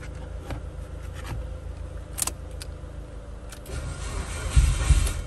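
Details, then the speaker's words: Dead car being jump-started, third attempt after cycling the key: slow uneven cranking with a few weak half-catches, but the engine never fires. Still struggling to start. "there we go it's trying to do something"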